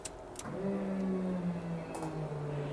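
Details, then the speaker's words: 1977 Chevy Nova, 355 cubic-inch engine, FiTech 800hp MeanStreet EFI install, first key-on. A couple of clicks, then a steady low electric hum that sags slightly: normal fuel pump priming. "we're going to go ahead and see if the fuel pump will prime real quick so as soon as the key comes on you should hear the pump prime"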